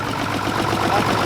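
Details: 1960s Mack diesel truck just started, with the injection pump needing cleaning and injectors needing redoing: lumpy, uneven idle clatter with beats dropping out. Rough idle from a faulty injection pump; oil pressure is about 55–60 psi.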